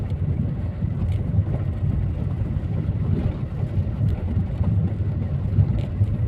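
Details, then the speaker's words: Skoda car driven over a rough stony road after covering the door hinges and seals, reducing gaps and conditioning the seals: deep, steady tyre rumble with a few soft knocks, and no door or window-glass rattle remaining. "इस पत्थर के ऊपर से जाने पर भी road की sorry टलिंग की नॉइस बिल्कुल नहीं आ रही है"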